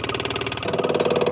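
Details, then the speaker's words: 1960 MG MGA 1600, SU electric fuel pump with inlet hose pulled off: fast, even ticking as the pump runs freely, so the pump works and the line from the fuel tank is suspected clogged. "So I'm gonna pull this hose off and see if the pump runs, and it"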